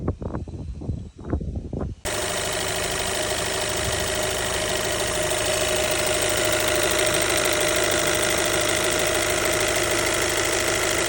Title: Alfa Romeo 1.8 tbi high-pressure fuel pump ticking noise partial fix #alfaromeo #brera #159 #tbi